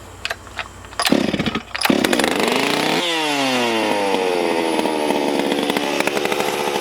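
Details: Stihl MS440 chainsaw with no decompression valve, test run before port work; the owner mentioned a possible air leak and compression feels normal: fires on the fourth pull, revs high, then settles to a steady buzzing idle. Runs normally.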